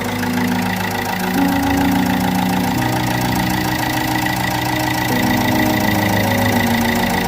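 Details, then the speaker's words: Opel Corsa D 1.3 CDTi diesel idling while warming up: rough rhythmic puffing chuff over normal clatter; blown seal on first injector leaking compression, carbon buildup around it; injector seal compression leak. "So you could even probably hear the puffing the injector is doing. So it looks like there is the seal on the first injector is gone, and yeah, as you've seen, it's full of carbon around there."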